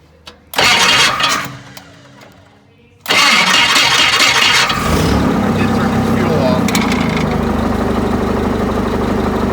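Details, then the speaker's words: Yale forklift propane Continental flathead four, possibly about 1971, after correcting a wrong firing order (distributor rotor turns counterclockwise): brief crank, catches at once and settles into a steady even idle, no misses; healthy. "So, had the firing order wrong. Once you had it Once I got it right, started right up."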